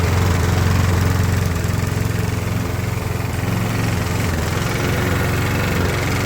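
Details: 20–25-year-old Briggs & Stratton push mower that lost power and died under use, after new head gasket and tightening: steady drone while cutting with uneven stumbles, not reaching full rpm; still misfiring under load, though much improved.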